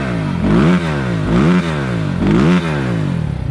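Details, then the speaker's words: 2020 SSR Motorsports SR300 dirt bike with Lectron carburetor at full operating temperature, free revving: crisp even blips about once a second, clean pickup and smooth return, no stumble or popping; healthy revving, big improvement over stock carb. "so as you can hear and see a massive massive improvement over the 2020 stock unit"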